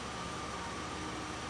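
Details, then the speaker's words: 2001 Pontiac Grand Am that had misfires on cylinders 1 and 3 with a P0300 code, after running gasoline-injector-cleaner mix through the fuel rail about 15 minutes; steady even idle hum, scan tool showing zero misfires; normal idle. "it's seems smoother now and if I look at misfire counters on the scan tool cylinder one and uh the other cylinders are reporting zero misfires"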